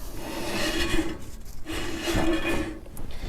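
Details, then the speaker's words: Dump trailer drum brake after bearing repack and shoe adjustment, wheel spun by hand: soft rasping rub rising and fading each turn, shoes lightly against the drum; normal light brake drag, properly adjusted. "you can hear that rubbing noise. That means the brakes are right up against the back of the drum. So, and that's what you want."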